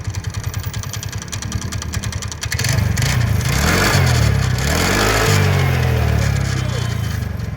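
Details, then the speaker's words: TVS Ntorq scooter engine at idle: harsh metallic clatter about three beats a second, swelling as it revs, coming from the starter one-way clutch. "तो यहां पे देख पा रहे हो आप कितनी ज्यादा आवाज कर रही है ये जो कि इसके वनवे से आ रही है।"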